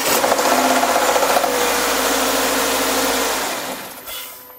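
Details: Subaru Forester SJ with FB25 engine, recorded outside, on a cold start: quick, regular knocking about four times per second that eases off, while a restart seconds later runs perfectly; knock source unknown.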